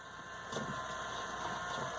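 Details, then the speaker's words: Worn Case MXM175 tractor during AC troubleshooting: thin steady high-pitched whine at one pitch over faint hum; electric fuel pump noisy, sucking air somewhere. "Well, that electric fuel pump's sucking air. Hear that thing? That thing's sucking air somewhere. Whining, making a bunch of noise."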